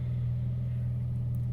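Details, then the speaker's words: UK-spec Jaguar XJ-S V12 HE with a cheaply repaired exhaust and a grounded-out intermediate pipe with bent clamp: deep, steady rumbling drone with no crisp edge. It still sounds unfixed after the attempted repair; a leak or blown silencer is suspected. "anyway it doesn't sound like i fixed the exhaust in the slightest"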